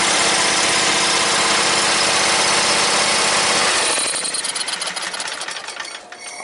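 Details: John Deere X300 riding mower that had no spark and an inactive carburetor fuel solenoid, now running with the time delay module wiring changed: fires and settles into an even, quick, steady patter with no misses. Runs healthy.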